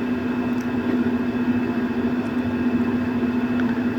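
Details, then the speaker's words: Gas infrared burner whose flame kept dying while gas kept flowing, final test after repair with gasket maker: a steady, even burner hiss and low hum, unbroken with no sputter or dropout; the flame now holds. "Kung mapapansin nyo, medyo matagal na siyang gumagana, hindi na siya namamatay."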